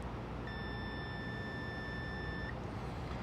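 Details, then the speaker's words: Continuity test with a multimeter on a newly replaced kill switch of a 1993 Sea-Doo GTS jet ski, lanyard on: a clean, steady high beep for about two seconds over low rumble shows the switch is closed. "And what we're going to do now is test it just with a multimeter on continuity. It should beep now."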